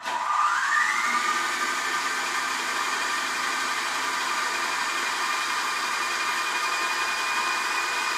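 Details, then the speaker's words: BL 2.4GHz RC helicopter 9004G, freshly charged battery, pinned to the ground while the speed button is tested: motor whine climbs quickly in pitch, then holds a steady high hum. Normal motor run, button made a difference. "right that did make a difference that definitely made a difference then I could hear it but you probably couldn't hear it with the noise"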